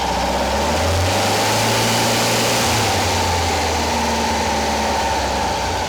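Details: Porsche 912 flat-four engine fitted in a 911, rebuilt from a failed project, first start with ignition timing dialed back from about 38 to 31–32 degrees: smooth, even thrum at raised idle, no popping, misfire or ticking; running well.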